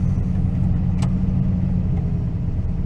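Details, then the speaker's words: 2004 Toyota Tundra V8 running badly: low, lumpy, rough idle that breaks up and won't settle; scanner shows random multiple-cylinder misfire plus O2 sensor codes, cause unknown. "i think the idol is so high that it is not if that goes to kick down it runs very rough idles very wrong i can feel it right now if i'm hitting it he's breaking up give it a second"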